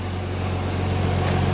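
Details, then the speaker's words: Nissan 300ZX Z32 with junkyard stock KA24DE swap, Artec manifold and Garrett G30-660 turbo, first start after a couple months: deep steady hum, smooth even idle, no knocks or misfires; normal idle. "not too much to really starting a Nissan especially a '90s Nissan sounds so good I forgot how good RV sounds"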